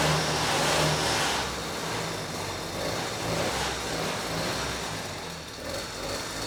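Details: Vintage Huffy two-stroke bike started by pedalling on a trainer, with no load: a small engine buzzing and picking up cleanly with throttle, no knock; it sounds healthy, though carb jetting may be slightly off.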